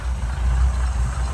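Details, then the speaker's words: 1971 Chevrolet K10, 350 V8 with Quadrajet carburetor and points, 4-speed, 4WD: deep steady low rumble, even firing, no knocks or misses; normal, smooth idle. "That really runs nice and smooth."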